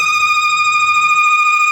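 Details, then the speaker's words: 2011 BMW X3 3.0 L inline-six (N52) at idle right after a valve cover gasket replacement: a loud steady high-pitched squeal from a failed PCV diaphragm in the valve cover's built-in crankcase breather; the fix is replacing the valve cover. "Sounds horrible, right? So after hopping on YouTube and doing some other research, I see other people have been having the same issues, and here's the culprit."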